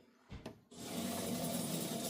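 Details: About 40-year-old HO model locomotive motor, cleaned by spraying liquid in without disassembly; runs slow, with a couple of light knocks then a continuous dry rasping rub before derailing. Something is binding and scraping.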